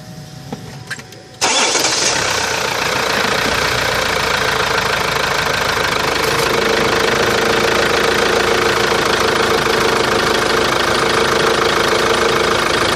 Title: Посторонний шум двигателя Antara.